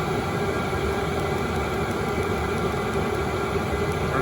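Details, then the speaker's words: Chinese eBay diesel heater running at full output, turned down and back up by remote; its exhaust is not very loud. Steady, even roar with a faint constant whistle and no surging or knocking; normal. "back up you know for this exhaust it's not very loud at all"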